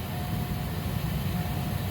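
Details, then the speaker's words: Saturn Astra blower motor at key on with AC on, after cabin air filter replacement: steady, even low rush of air with no clicks or rattles of debris; fan runs smooth and healthy. "but right now everything sounds fine"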